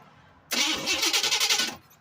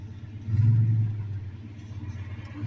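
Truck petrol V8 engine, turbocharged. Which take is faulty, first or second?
first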